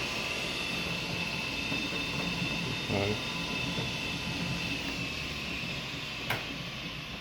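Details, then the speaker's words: Yamaha G29 golf cart, about 2017–18, said to need a new controller and motor: with A1/A2 wires reconnected and about 41 V on weak batteries, the drive motor gives a quiet, steady high whine. No grinding; cart moves, controller fine, batteries bad. "well it's moving I think she'll work the batter is are junk but I think she'll move looks like the controller is just fine I don't see a problem with it"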